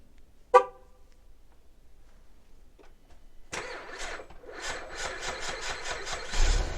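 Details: Cold 2011 Buick Lacrosse CXS on remote start: after the horn chirp the starter grinds slowly, about three labored turns a second, before catching; weak battery, later tested and replaced.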